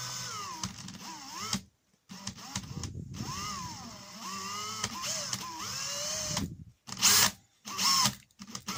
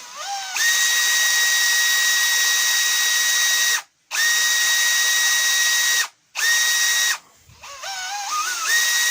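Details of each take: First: Makita DHP483 cordless drill: the motor whirs up and down in pitch, then drops out and cuts back in unevenly, and the chuck sometimes doesn't turn at all. An intermittent trigger switch; the owner is 90% sure the trigger is the cause. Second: Makita DHP483 cordless drill after fixing the intermittent trigger switch, run at speed settings 2 and 1: clean, steady high whine spinning up smoothly on each pull with no cutting out; trigger now works cleanly.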